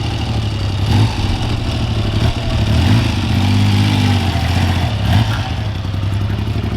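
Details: Freshly restored 1975 Triumph T160 Trident three-cylinder: deep, even idle with smooth throttle blips that rise and fall cleanly, no knocks or misses. It is running healthy.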